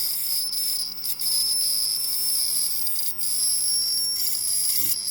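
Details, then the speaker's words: Faulty ozone dielectric cell on a test box: shrill wavering high whine with sharp crackling snaps from arcing under power, frequency erratic, wattage low and the display resetting from inductive interference. "now not you don't normally see the display reset like it did on that last test but occasionally with the arcing you get some um abnormal transients and arcing i'll try it again"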